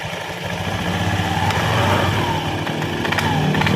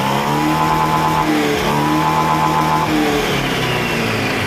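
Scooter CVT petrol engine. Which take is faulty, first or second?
first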